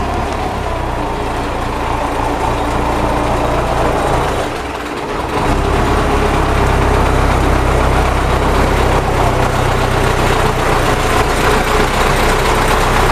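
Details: MTZ tractor diesel idling and then picking up, with a steady rough knocking of about three to four beats a second; the engine knock's source is undetermined.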